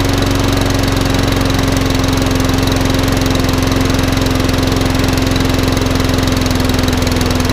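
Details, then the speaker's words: Rusty job-lot walk-behind lawnmower after carb clean, new spark plug and freeing a stuck governor arm that had it over-revving: steady, even drone at constant governed pitch, no hunting or surging; was very smoky at first; now running normally. "It wants a bit of love and attention, but it's all running. It was very smoky at first."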